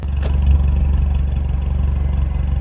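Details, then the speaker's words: 2013 Fiat 500 1.2 MPI petrol at idle, recorded at the exhaust: a deep, uneven pulse with soft pops and the car shaking. The engine light is on with codes P0301 cylinder 1 misfire, P0300 random misfire and P0136 lambda sensor fault. "When I start the car, immediately I feel car little bit shaking. And when I go to the exhaust, can hear like a popping sound."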